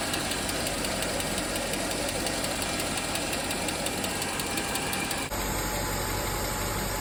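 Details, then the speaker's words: 2008 Mercedes-Benz GL 550 that sat not running, with a used SAM module fitted: light, quick ticking over a rough, noisy idle just after startup; owner suspects a lifter not yet pressurized with oil. "Sounds like it might have a lifter that's not pressurized with oil yet."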